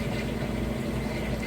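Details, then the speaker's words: Couple-years-old Amana top-load washer, normal cycle, deep water wash: final spin at full speed, steady even low rumble, no thumping or wobble; normal final spin. "Alright, we are on that final spin. It's up to full speed, and as you can see and hear, nice smooth operation, sounds great."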